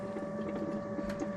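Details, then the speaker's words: Motorhome fresh-water pump unused for years, after clearing an air lock: steady, even pump hum with a clear whine and gurgling water flowing through, no sputtering; pump running normally. "So, it must have been an air lock in it then"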